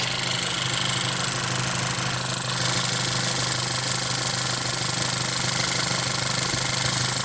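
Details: VW Jetta MK6 2.0T TSI at idle just after a high-pressure fuel pump replacement; it previously struggled to start or stay running, worse in cold: smooth, even idle, steady low tone, soft ticking, no misses or surging; no leaks; healthy.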